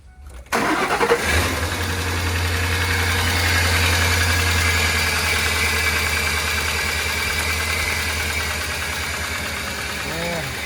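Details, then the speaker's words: 2004 Ford Explorer engine, suspected oil starvation damage, restarted after topping up oil (still about a quart low): settles to steady idle with a light, fast rattle on top that shouldn't be there; upper end rattle, cause suspected, not confirmed. "That's not what this engine's supposed to sound like. It's like a still rattly sensation going on here."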